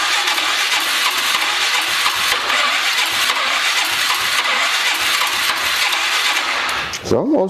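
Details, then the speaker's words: 2003 Polaris 500 H.O. ATV that sprays oil into the airbox, cranked with no fresh gas and bad gas smelled. About seven seconds of hissy, even cranking with no firing beat taking hold; cranks but won't start. "starting up though. Wish I had some gas. I didn't think to get none."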